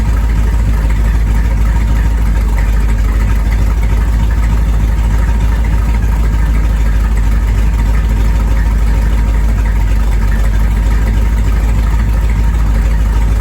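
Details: 1973 Corvette V8 driven for the first time in five years: deep, steady, even burble at a constant low idle with no knocks or misses; healthy idle.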